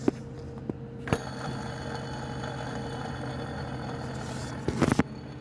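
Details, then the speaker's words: VW Bora 2000 AKL petrol engine idling with alternator belt removed to isolate the noise: steady whirring drone from the belt side, traced to a worn AC compressor pulley bearing. "klima kompresörünün ilyasından kaynaklı"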